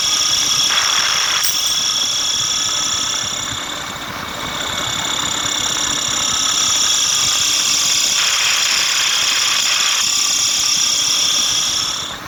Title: #Atlas copco ga15 #Belt issue #Abnormal sound of Machine